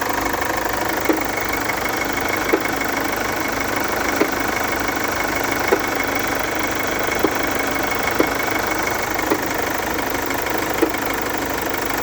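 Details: Chevrolet Captiva 2.2 diesel at steady idle with a crisp metallic tick roughly every second; engine knock at idle, owner suspects the timing chain mechanism/components, not confirmed.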